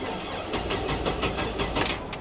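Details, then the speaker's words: 1999 GMC Sierra with 175k miles at auction, fuel pump audible: starter cranks in uneven pulses, some strokes louder than others, and the engine never fires; crank no start, uneven compression suspected. "Oh. That don't sound good. Let's try it again. That didn't sound good at all. It's got gas. I hear the fuel pump."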